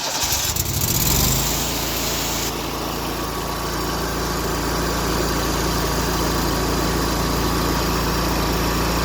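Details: Exmark Lazer Z EFI zero-turn mower after repair restoring fuel pump power (pump pulsing, about 15 psi rail pressure): engine catches within a second and runs steady and even, no misses; repair confirmed.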